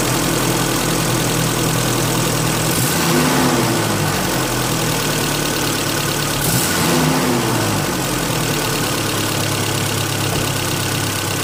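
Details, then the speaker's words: 1995 Holden Rodeo 2.6 four-cylinder, 445,000 km, after cleaning the throttle body: a smooth, even idle with a turbine-like whooshing hum and brief blips, no knocks or misses, so it is running properly. "However, having done that work, the engine does have sort of, I'd describe it as a turbine type of sound. That's the sound of the air coming in and the and throughout the engine and out the exhaust."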